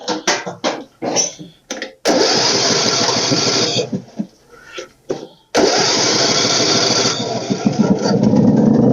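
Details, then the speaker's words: Ariens riding mower with Briggs & Stratton 17.5 HP engine, sun-baked, carburettor cleaned; after stuttering start attempts it catches and runs steadily without knocking, though spitting oil. "we it's running beautifully I don't like the fact that it's spitting oil everywhere"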